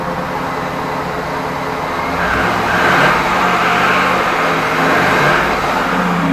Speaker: 2010 Escalade 6.2 liter man this thing has piston slap from hell it's uh one of the worst I've heard 105 000 miles